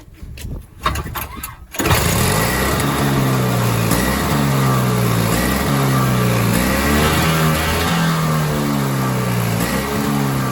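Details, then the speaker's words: Toro Power Clear 21in snowblower, 141cc 4hp two-stroke, after full carb teardown. Pull start, catches, then revs rise and fall every couple of seconds; constant surging; a new carburetor is suspected to be needed; piston scoring found on the exhaust side. "nothing the only thing I can think of is maybe a new carburetor it's just constantly surging surging surging surging"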